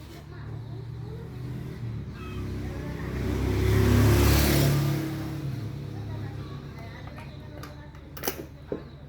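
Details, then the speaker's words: Yamaha Mio M3 scooter that would not rev, stuttered and lacked power, after replacing the faulty ECU: engine swells smoothly to a clean rev and settles to steady idle, no stumble or popping; normal revving. "Dan kita tarik gas ternyata dia normal"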